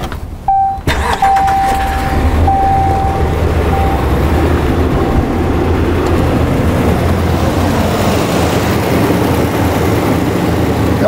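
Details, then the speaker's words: 2014 RAM 2500 6.4L with intermittent low power, running rich on both banks with a bank-to-bank trim problem. Engine catches and settles into a lumpy, choppy idle, missing badly on several cylinders; cause not confirmed. "but this car is missing really badly right now it's not running well"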